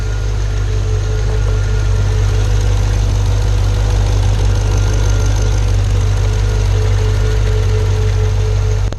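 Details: Pontiac G8 GT with L76 V8 at idle: deep rumble with a faint, uneven tapping knock from a failed AFM/DoD lifter, the second failure (first at 44k miles, second at about 66k miles).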